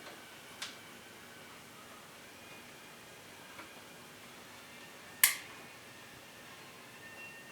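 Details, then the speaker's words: Sanyo DP42740 42-inch plasma TV after replacing power supply board, plugged in: a couple of soft ticks then one sharp relay click, extra click versus before, green light on board; TV then turns on normally. "Okay, we plugged it in. We got an extra click than last time."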